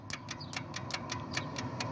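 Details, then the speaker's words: Plymouth Satellite wagon abandoned since the 90s, cranking with new plugs and points ignition: crisp, regular ticks about five a second show the points sparking; engine never started and later seized; points sparking normally. "you can definitely hear it point system is in fact sparking"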